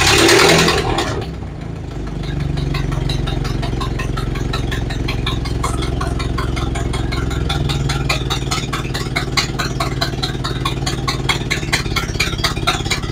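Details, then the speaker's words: Ford Model A after new parts, started following about four months sitting, valve about a third open. Slow, loping idle with a sharp, regular puffing tick on every firing stroke from a leaking exhaust; it started right up and otherwise ran well. "okay so that went well started right up ran good except for that leaky exhaust"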